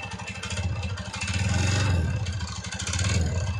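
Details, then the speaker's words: TVS Ntorq 125cc BS6 scooter, now older, revved; rapid uneven rattly clatter over the exhaust note, rising and falling with throttle; owner blames the aging silencer; unconfirmed. "কিন্তু এইখনৰ এটাই বেমাৰ চাইলেঞ্চাৰটো যেতিয়া পুৰণা হ'ব সেনেকুৱা হৈ যায় আৱাজটো"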